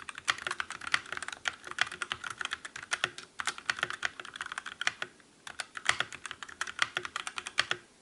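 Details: Calibur keyboard with Otemu red switches in a typing comparison against the Motospeed CK62: fast, even typing with soft, crisp clicks and no metallic ring after keystrokes. Quiet keyboard typing with no spring ping.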